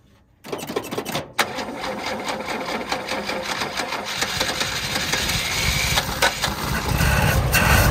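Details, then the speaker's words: 1976 HX Holden Ute, second start: cranks, catches, runs ragged and uneven at fast idle on half choke; without choke it conks out; rough running. "It's got half the choke on to keep it running. I'm going to try it for some gears. If I let it just idle by itself without the choke, it'll just conk out."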